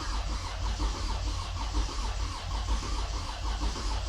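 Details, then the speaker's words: Toyota Avalon with hard-starting complaint: starter churns engine over steadily at a slow, even rate, never catches, RPM needle not moving; cranks, no start, fuel pressure to be checked. "Bale ang problema nito ay hard starting itong unit. So try nating crank."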